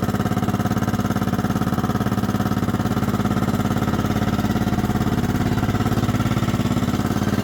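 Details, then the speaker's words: 1998 Kohler Command 16hp lawn mower engine, a slight oil burner, parked a year: cold start with an even chuffing single-cylinder idle about three beats a second and a hollow clank on each beat; it clanks when cold or after sitting and should quiet as it warms. "you can hear she's kind of clanky it does that when it's cold and or it's been sitting a while"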